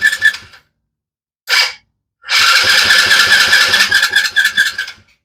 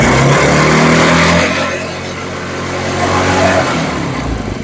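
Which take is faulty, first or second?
first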